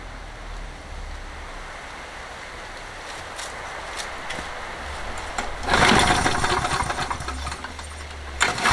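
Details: Toro 20789 mower, Briggs & Stratton Intek engine with hot-restart trouble: repeated pull starts with backfire pops after priming 4–5 times; valve clearance checked next, intake clearance found excessive.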